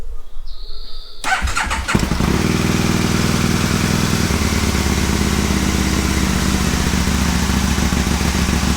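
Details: Aprilia Caponord V-twin, cold start with Tune ECU connected, owner suspects starter for starting issue: cranks, catches after a second, settles to steady even idle, no misses; normal cold start and idle.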